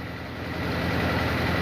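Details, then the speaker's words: Nissan Sunny petrol engine idling lumpy: cylinder four dead, no change when its plug removed and no injector pulse from the computer to cylinder four. "So we see number four, there's nothing happening there. Then we check the pulse for the injector and you see that number four is not firing."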